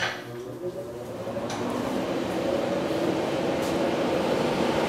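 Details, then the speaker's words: CNC router's HSD electric spindle cooling fan, newly replaced after the old one became noisy: a steady, even whir climbing to a smooth hum with no squeak or hesitation. The new fan is working well. "so you can hear it so yeah it's working really good"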